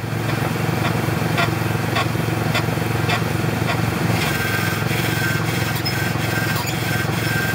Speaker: so here's what a bad ball joint sounds like when you turn the steering wheel or your suspension moves